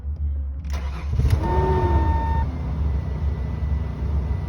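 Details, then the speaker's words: 2002 Ford Explorer with no-start fixed by a new fuel pump: brief crank, then the engine catches cleanly and settles into a smooth, steady idle. "Fully running. Kicked on, sounds great."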